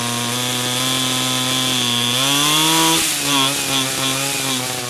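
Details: 49cc/47cc pocket bike two-stroke after carburetor replacement for a non-running condition: crisp, even buzz climbing cleanly with the throttle and settling back smoothly; no misfire or stumble, runs properly.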